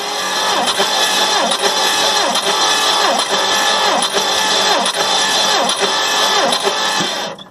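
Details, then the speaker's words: 1958 Plymouth engine, rebuilt 1968, compression test on cylinder 1, cranked by jumping the solenoid on a used battery: steady, even starter whir with no stumbles; gauge climbs to 140, healthy compression. "So that's 120, 130, 140 on number 1. That's not bad."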